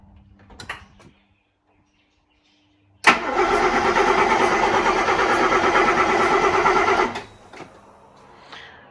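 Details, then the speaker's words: Mercedes 300SEL 6.3 V8, freshly rebuilt, with no fuel pump yet, all 8 plugs fitted, heard from outside: deep, bassy, booming, even cranking for about four seconds with a good compression rhythm, not firing. "And holy crap, that sounds like a ship engine turning over. There's some seriously deep, bassy, booming sound coming from that engine or exhaust area."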